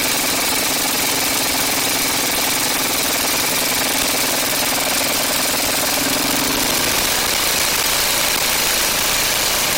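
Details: Ariens Classic 824 two-stage snow blower (model 924550) after ultrasonic carburetor cleaning, started by hand on choke: loud, steady small-engine drone with fast, even firing and no misses or surging; normal running.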